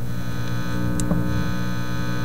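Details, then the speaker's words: Teletone 67-600E record player amplifier after an attempted circuit change: steady low hum with a buzzy edge coming from each channel, unchanged from before; plain mains hum, the change did not help. "okay power on little safy check just before the last switch is thrown here we go there Comes The Hum coming out of this Channel and now the other"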